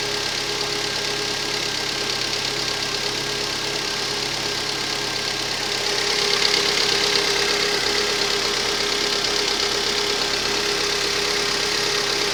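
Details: Rover 25 1.4 petrol, cold start idle with faint uneven stumble, slight misfire; engine ticking is normal hydraulic tappets when cold, no idle change under full electrical load; cause was faulty lambda (O2) sensor, fixed by replacing it.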